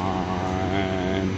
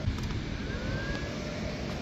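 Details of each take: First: 1980s Clausing-Colchester 15x50 lathe at first start-up, 60 Hz, 2.3 A draw, belt slightly loose, oil pump working: steady spindle drone with faint gear whine from the headstock, mild gear noise. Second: 1980s Clausing-Colchester 15x50 lathe motor, converted to 240 V single phase via VFD at 60 Hz, jogged to check rotation; steady even hum with faint high whine, no knocking; about 2.3 A draw, oil pump working, belt slightly loose.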